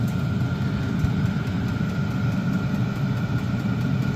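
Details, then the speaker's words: Likaci diesel air parking heater, new, running in a garage about 9°C outside and blowing good heat; even low rumble with steady fan hum, no surging or popping; normal running. "It was easier just to make a video showing you that yes, it is working. It is blowing out actually really good heat."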